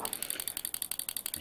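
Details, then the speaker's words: Vintage 1960s pulse-proportional model radio control actuator powered on: crisp, even clicking about eleven times a second as it flaps both ways in the center; the clicks are its mechanical stops, operating normally. "can see if I push this stick to the left it biases the actuator To the Left Right Rudder biases it over to the right and in the center it's flapping both ways the clicking you can hear is actually mechanical stops very simple very effective"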